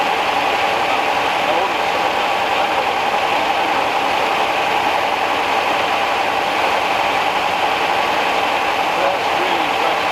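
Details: 1969 Rover P6 Series 1 3500 V8 automatic, running after 16 years in a garage: steady, even idle with a smooth hiss and no tapping or rattle from the top end. Quiet, a healthy engine.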